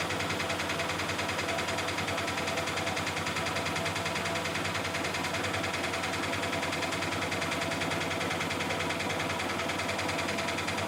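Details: Miele Softtronic W6544 washing machine, drum loose and noisy (bearing damage questioned): steady rattling knock a bit over once per second, repeating with each drum turn over motor hum; broken drum spider (Trommelkreuz).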